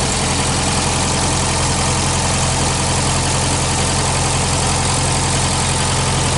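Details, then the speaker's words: 1965 Australian-built small-window VW Beetle, air-cooled flat-four idling on a weak 6-volt battery at least 8 years old: steady, even, smooth beat with no knocks or misses; engine very healthy despite a slight oil drip; normal idle. "Nagyon szépen kekerészik a motor, hogy hagyom, hogy egy kicsit hallgassátok."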